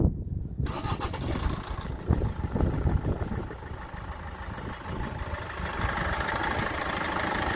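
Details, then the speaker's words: Land Rover Freelander 1, 2.0 TD4 BMW diesel, 174,000 on the odometer, stone cold after crankshaft pulley replacement for growing engine noise: short crank, catches within a second and settles into an even diesel idle with no knock. "okay so there we are 174 000 the engine's flat cold it's only been running from what you've seen on video"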